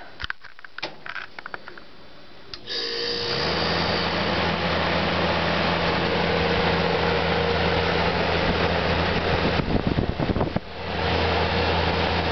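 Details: 1995 Magic Chef 25 Pint Automatic Dehumidifier with Frost Guard, started with the cover off, coil dirty, rust under the compressor from occasional freeze-ups; a few clicks then a steady low hum with even fan rush; compressor and fan running normally.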